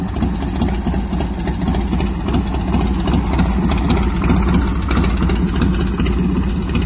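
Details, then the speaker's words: 1990 Harley-Davidson Fatboy Evo carbureted V-twin after carburetor cleaning fixed a no-start (fuel not reaching jets): loping low idle, steady without stumbles; idling fine. "ใส่เสร็จก็เลยเอามาเทสเขาโอ้ยเดินเบาสังเคราะห์คันนี้fatboyEvoตัวปลาเหลืองตัวหัวเหลืองม.คตัวเทสให้เรียบร้อยติดเหมือนเดิมดังเดิม"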